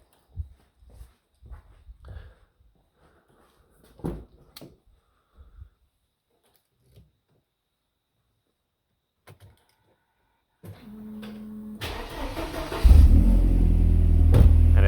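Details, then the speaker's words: 2.3 L inline-4 engine with a dead battery, jump started with a NOCO Boost XL GB50 1500A pack: after handling noises, a short crank and it fires straight into a steady run; normal easy start. "starts up with no issue uh very easily all right guys and as you seen there started up this engine without any issues"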